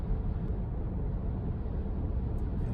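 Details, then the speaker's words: Porsche Cayenne 957S on Chinese Tracmax X-Privilo RS01+ 295/35 ZR21 tires at 80–90 km/h: low, even rumble with no hum, thump or rhythmic beat; almost nothing heard, normal tire road noise. "C'est quand on est à 80 ou 90 km/h."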